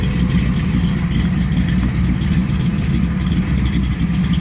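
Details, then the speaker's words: Ford F100 with freshly built 408 cubic inch Windsor stroker small block: deep, even V8 burble with a steady, lopey rhythm and no knocks or ticks; normal healthy idle. "yeah, that sounds sweet."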